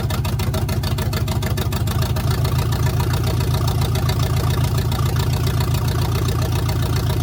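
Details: 1971 GMC truck V8 after installing block hugger headers: a lumpy, uneven idle with a steady stumble in the exhaust beat. One plug was found wet and not firing, leaving five cylinders; the owner suspects ignition. Misfire at idle.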